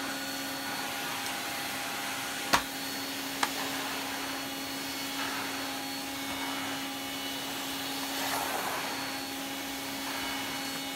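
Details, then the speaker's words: Electrolux 304 cylinder vacuum cleaner after cleanup, with much more suction, pushed around; a steady, even motor hum with rushing air and a couple of knocks, motor sounds healthy, normal running. "It really does have a lot more suction to it. Oh, I love that sound."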